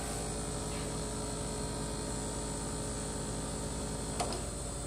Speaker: so what I plan to do is put foam under the bottom of the pan between the pan and the metal so between the black plastic and them in the metal base and that will have this effect